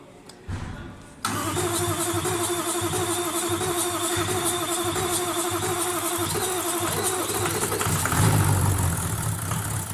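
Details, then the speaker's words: 1VD-FTV engine after full rebuild, car assembled and fully warmed up, undergoing a registration procedure; cranks briefly, then settles into an even, steady idle with no knock or tapping; healthy. "Автомобиль собран, полностью прогрет. Проходит процедуру прописки"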